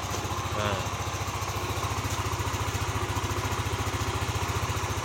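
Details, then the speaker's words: Yamaha NMAX 155 (old model) after fixing code 61: cleaned and ISC spring added; steady, even single-cylinder putter at idle with regular low pulse and no misses — idle normal, standard. "sudah normal kemudian eh sudah standar ya"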